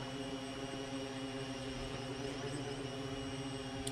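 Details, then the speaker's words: ArduPilot 4.6 VTOL in hover during QuickTune, which gently raises the PID gains until oscillation. A steady multi-tone motor buzz gains a wavering vibration edge, and then the gain is pulled back. "Now that vibration has happened, it's going to pull back on the gain for that particular piece and it's going to increase the gain."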